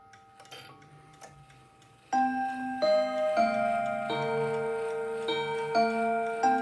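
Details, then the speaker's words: October 1950 Seth Thomas Northbury 1W mahogany mantel clock, No. 124 movement, heard from the front: soft steady ticking, then clear, evenly struck Westminster chime notes, not overpowering; movement and chime train working normally. "I'll let you hear it from the front, and then we'll turn it around. It's a nice sound, it's not overpowering."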